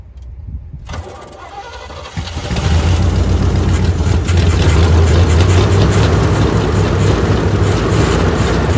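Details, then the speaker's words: Old 350 V8 with open headers, dry fuel filter, gas poured down the carb and a used battery, cranks and fires into a loud, lumpy, uneven idle; needs a tune-up and is probably missing on at least one cylinder (suspected). "an old open headers 350 that needs a tune-up and probably missing on at least one cylinder, but, but let's see what we can do here."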